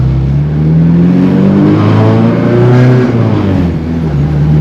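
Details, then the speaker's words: AWD Honda Accord (CB7) on highway pulls, single muffler, no resonator: deep drone climbing with throttle, raspy midrange buzz; owner thinks adding a resonator would tame the rasp and quiet it around 2,500–3,000 rpm. "So maybe a resonator will help, you know, tame the rasp. It has some rasp in it."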